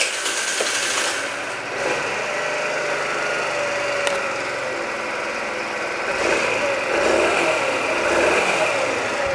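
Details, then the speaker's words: Scooter after repair with new crankshaft and new piston kit, replacing a defective piston whose pin was skewed from the factory and caused a ringing knock: now runs evenly, no knock, only a faint rustle from the gears. "Всё теперь тихо работает Вообще практически не слышно никакого звонкого стука не слышно слышно только как шестерне шелестят"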